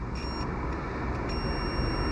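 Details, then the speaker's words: Fiat Panda 4x4 1.2 8V radiator fan wiring continuity test, beep only when earthed to the post, not the body; thin high beep cuts in, drops out, then holds over hum; marginal connection needing exact placement. "it's not a wonderful connection I have to be exactly precise"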